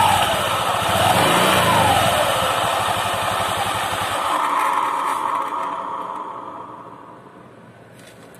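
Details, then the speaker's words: Honda Vario 150 LED (K56), CVT recently serviced: coarse, rapid knocking from the belt drive on initial throttle, feeling heavy. Suspected worn 6902 pulley bearing and rollers, not yet confirmed before teardown. "Tapi biasanya gejala seperti ini itu lahar-laher puli yang di sini ya, Teman-teman. Dan lacesnya juga"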